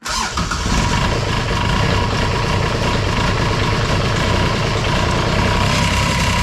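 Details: Kubota RTV900 diesel, sat long, new starter, jump pack, glow plugs about 10 seconds and some throttle: cranking then sudden catch into steady fairly even rumble, smoky; hard start, fuel bleeding off suspected.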